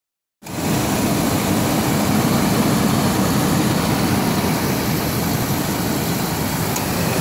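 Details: Ford Explorer petrol engine running with a gritty, uneven rattle from worn, slack timing chains, which a mechanic judged not worth replacing; car had overheating history.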